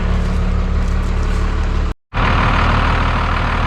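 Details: 1991 Freightliner FL70 tow truck, believed 5.9 12-valve Cummins, sat about 15–20 years: deep, steady diesel rumble holding an even beat with no knocks or misses; idles normally.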